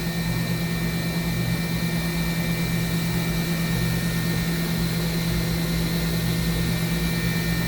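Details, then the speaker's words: 2013 Mazak HCN 4000 Mark III horizontal machining center spindle at 10,000 rpm, 1% load (max 14,000 rpm): smooth steady hum with constant tone, no grinding or rumble; spindle sounds healthy. "Sounds good. 10,000 RPM with a 1% load."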